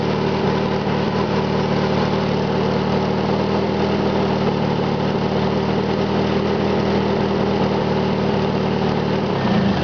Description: listen for the knocking sound to come and go